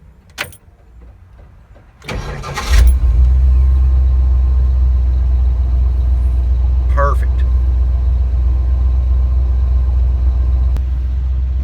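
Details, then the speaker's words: Ford 351M/400 V8 with timing far advanced, fully warmed up: cranks briefly, under a second, catches cleanly and settles into a steady, even idle; hot start is healthy. "Alright, you see here it's warmed up, you hear it running, so here we go."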